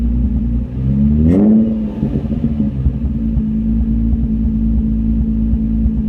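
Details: Nissan 350Z V6 fires up, blips once, then settles to a slightly uneven, lumpy idle; engine misfire.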